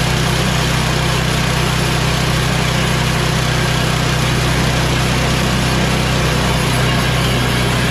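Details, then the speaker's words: Yard Machines MTD 24" two-stage snow blower, 8 hp Tecumseh Snow King, after a new carburetor, new fuel line and oil change, at full choke and full throttle: steady, even beat of about three pulses a second with no misses or surging. It runs healthy. "this snowball is now completely tuned up it's ready for the winter"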